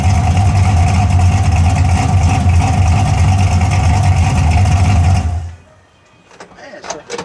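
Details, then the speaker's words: 1981 Camaro V8 after a top-end swap, open headers with no exhaust, timing and carburetor not yet adjusted: deep, steady rumble with an even lope that holds speed without sagging, then shuts off; sounds healthy. "But I ain't got the exhaust on it, it's still open headers. But so far, sounds pretty good."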